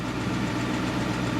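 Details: 2011 Dodge Charger R/T HEMI V8, after water pump and thermostat replaced, coolant full; idles smoothly with even low burble and steady speed, no ticking or misses; normal idle.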